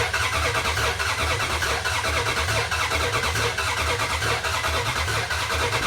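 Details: 2004 Dodge Ram Rumble Bee, freshly swapped 6.1 HEMI V8 from 2006 SRT Charger, first start: uneven idle surging about once a second, lumpy hunting beat; rough stumbling idle, suspected unplugged port on intake.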